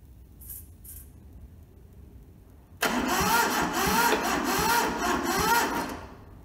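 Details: Toyota SDK4 skid steer diesel, bought sight unseen, rusted and frozen, restoration: starter jumped across solenoid with fuel from a small temporary tank; cranks steadily near three turns a second but never fires; injectors later loosened to bleed.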